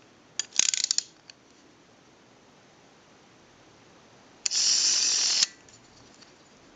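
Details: AE candlestick telephone rotary dial with contacts not yet fitted: short bursts of quick, crisp ratcheting clicks, then a smooth whirring return. It works properly; no ratchet sound would mean a missing or misinstalled key or a bad spring.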